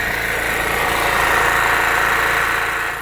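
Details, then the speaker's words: Backup generator kept for the sump pumps, said to run 10 to 12 hours: constant even drone with no surging, misses or knocks; holding steady speed, running normally. "And it will work great. The generator will run 10, 12 hours."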